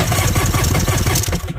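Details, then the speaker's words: Kawasaki 1100 STX jet ski triple, middle cylinder with no spark; coil wire pulled from its boot, rethreaded, still no spark, so igniter, coil or loose wire suspected: cranking with weak, lopsided pulses, firing on one cylinder; dead cylinder from corroded coil wire. "think he's trying to fire up on one cylinder"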